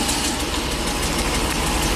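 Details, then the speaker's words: 2012 Ford E450 bus with a dealer-installed replacement V10, during a power balance test: a rough, loping idle. Cylinder 5 is disconnected and 8 and 9 are dead, while cylinder 10 returns under load. "It's definitely running worse since number 5 is now not contributing. Very cool. Guys, cylinder 10 is back to life here under load. 8 and 9 are dead."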